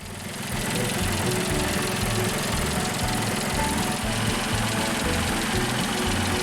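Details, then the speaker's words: Tractor diesel after head gasket replacement, injectors refitted, first trial run: even clatter with regular firing pulses at steady idle, all cylinders apparently now firing, second exhaust port heating like the others; much better than before the repair. "Woohoo! It runs! And it sounds much better than before."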